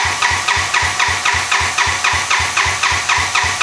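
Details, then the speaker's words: 1986 Honda Fourtrax 200SX quad after top-end rebuild and new ignition coil, after it died: even cranking about four compression beats a second, never catches; timing light shows spark present, owner suspects it is flooded. "So it has died for a different reason, and it won't restart, by the way. I'm suspecting it is flooded out."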